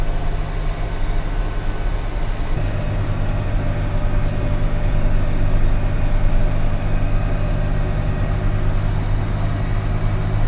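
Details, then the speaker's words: Tractor mowing for silo filling: steady, even low engine drone with no rubbing or scraping; the earlier wheel rubbing noise has gone, running normally. "I don't hear that rubbing with the wheel anymore, so that's good."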